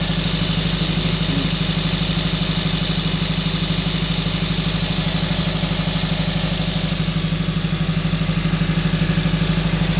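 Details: 2012 Honda Civic Si at high idle: regular stumble about three times a second; scanner shows misfire on all four cylinders but scope shows only cylinder 4 injector not fired, failing ECM injector driver, ECM needs replacing.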